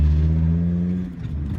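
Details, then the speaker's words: VW T4 2.4 AAB diesel driving on road after replacing the low oil pressure switch: steady low diesel drone with no warning beeps; oil light flashing and beeping alarm fixed, no oil pressure warning. "Problem solved. Low pressure switch."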